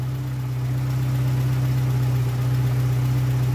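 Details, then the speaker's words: Oldtimer VW Polo petrol engine with an oil flush in: idles smoothly with a steady low hum, earlier idle speed fluctuations gone, no smoke. "Ja, die Drehzahlschwankungen sind offensichtlich auch weg. Klingt gut, qualmt nicht."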